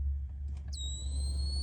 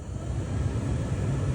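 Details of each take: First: Honda Element blower on fan speed one: high steady electronic whistle like AM static over low fan hum, changing with speed, gone on high; persisted after aftermarket blower motor swap, caused by faulty blower speed transistor. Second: Honda Element heater blower on low speed after swapping the blower transistor: soft steady airflow rumble, no whistle or whine; previous AM-static-like whistle, absent on high, traced to the transistor, not the blower motor.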